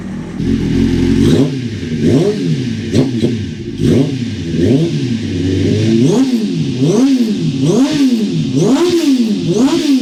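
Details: 1996 Suzuki GSX-R750 SRAD track bike with Keihin FCR39 flat-slide carbs, big main jets and an Airtech airtray, already ridden about 100 km that day. Sharp throttle blips rise and fall cleanly, with a slight hesitation at low revs before it picks up. Low-rpm bog, cause not confirmed.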